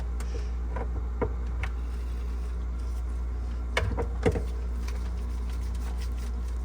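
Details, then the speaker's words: GE French door refrigerator fresh food evaporator fan seized by corrosion from clogged drain steam, being freed by turning and replugging; constant low electrical hum, faint ticks, no whirr building; seized fan motor. "so right now we're pretty much just working on loosening up some of the corrosion inside the fan so you turn loosen plug in turn loosen plug in and you can see the fan trying to"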